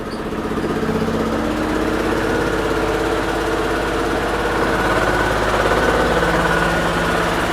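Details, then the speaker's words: Daewoo Lanos on LPG/petrol that wouldn't start because its high-voltage spark plug leads were swapped; after reconnecting them correctly it starts but idles lumpy with a loping shake visible in the door mirror; a cylinder is suspected not to be working. "його щось ковбасить цього двигуна О видно по дверці по дзеркалу видно як підкобашує так підковбашує підковбашує але машина завелася"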